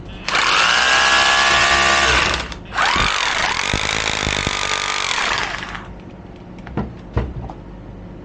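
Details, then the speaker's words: Used Makita 18 V cordless rotary hammer, after brush contact cleaning, switched to hammer mode: two strong bursts of motor whine with rapid pounding rattle, each cutting cleanly; hammer action strong and healthy. "Если переключить на бой, тоже так нехило бьет."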